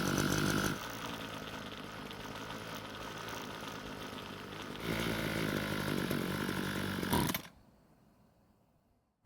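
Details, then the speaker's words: Ryobi two-stroke string trimmer, long unused, air filter cover off, buzzes at idle, surges briefly when throttled then cuts out; lean low-speed mixture starving it of fuel, planned fix is turning L screw counterclockwise and raising idle speed. "As you just saw, the moment I touched the trigger, the engine stopped. This typically means it's not getting enough fuel to change speed."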